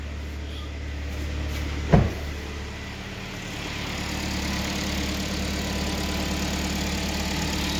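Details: 2012 Kia Sportage 3, one owner, 175,000 km, started after an engine rebuild; knocking had begun around 155,000 km. One thump near the start, then a steady, even low idle with no knock or tick while warming up.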